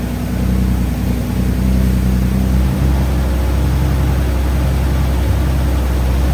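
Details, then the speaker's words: 2014 Audi S5 with 82,000 miles, first start after a complete mechanical overhaul of a blown engine: deep, smooth and even idle with no knocks, ticks or misses, a steady rumble settling after start; healthy normal idle. "Oh, it's smooth. It's so smooth."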